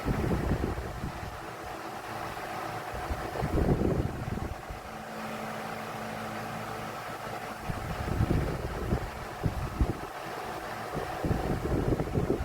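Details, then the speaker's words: Vornado 12-inch Silver Swan Alchemy desk fan, about 3 years old, found on the curb, oscillating: droning hum rising and falling as the head swings with uneven rattly bursts; insanely loud and underperforming, owner suspects tight blade spacing. "And it is just insanely loud, and it does not perform."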